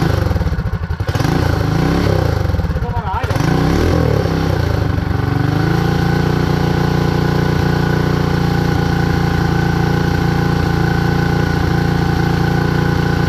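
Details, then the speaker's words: Predator 224 Max Performance single-cylinder minibike revs up and down, then holds a fast speed instead of idling. The carburetor leaks fuel, and a stuck float or needle causing flooding is suspected. "we accomplished that it's running it's not idling got a little bit of work to do I guess on the carburetor"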